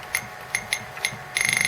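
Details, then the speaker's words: Atari Falcon 060 with newly fitted 5-watt internal speaker under test; clean, high-pitched beeps, single chirps then a quick pulsing run, slightly thin and tinny: normal speaker beep. "yep you can hear it's working it sounds a little bit tinny but i guarantee that is going to be way better than any of those other speakers i've tested"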